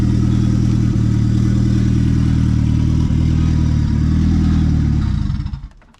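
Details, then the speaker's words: Ford Fiesta ST170 turbo engine, 210 bhp on engine dyno, temporary throttle body with bolt wedged for tickover, no exhaust, only a downpipe: very loud, raw, steady idle with a hard low beat of three or four pulses a second, then shut off. "It's got no exhaust, it's only got a downpipe."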